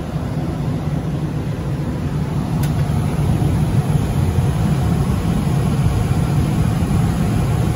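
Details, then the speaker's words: Johnson Controls/Unitary Products residential gas furnace after a no-heat call (flame lit ~3 s then dropped out, seven-flash ignition retry lockout), now serviced: steady even low roar of burner and blower with no dropout or relight attempts; stays lit, running normally. "as you can see still running so we are good to go"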